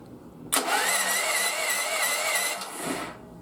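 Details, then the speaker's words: 10-year-old mobile welding generator left outside for years, after the wrongly labelled battery was reconnected with correct polarity: starter whines at a steady pitch and spins the engine briskly and evenly; cranking normally. "once I spun the battery around hooked it up so that the positive wasn't to the negative and the negative was to the positive now it spins over just fine check it out"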